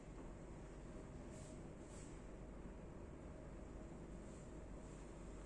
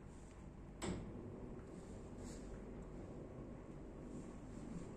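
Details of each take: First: ABCON motorized roller blind motor lowering the blind with a very quiet, smooth, even low hum, no clicks, grinding or jerks on stop and start; much quieter than a common market motor, healthy. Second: Common market-brand motorized roller blind tubular motor running down after one click, with a fairly loud steady low hum and a faint constant tone; it also clicks on every stop.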